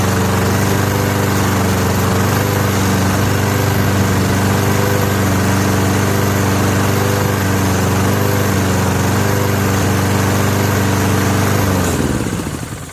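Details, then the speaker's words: Free Honda push mower found by the road, just started after choking: steady idle with a gentle rise and fall in speed every few seconds. Mild idle surging, not judged serious; cause not pinned down. "Surges a little. Doesn't seem like it surges enough to be too worried about."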